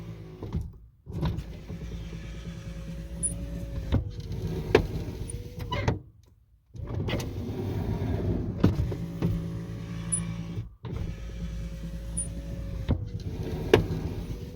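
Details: Lincoln Continental driver front window after a motor torque bushing repair: a smooth, steady motor whine through full glass travel with no groaning or stalling; the window works properly, though some scraping is noted.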